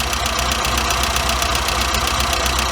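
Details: Warmed-up engine with a Weber 38 DGAS carburettor, idle mixture screws about 10.5 turns out from fully in: turning them in starves it and the idle starts to fall, while turning them out picks it back up to a steady, even idle with a regular pulse.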